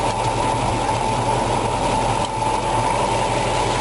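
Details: 1965 Ford Mustang GT, 289 V8, 4-barrel carburetor, 4-speed, timing set at 6 degrees, distributor tightened: smooth even idle with a steady whir over the rumble, no stumble or ping; timing sounds right.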